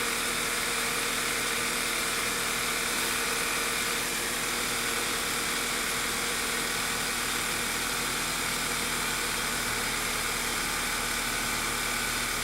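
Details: 2009 VW Eos 2.0 TSI (CCT) after a rear main seal replacement fixed the lean misfires caused by a vacuum leak: even, steady idle with a smooth hiss, no misses, knocks or hunting.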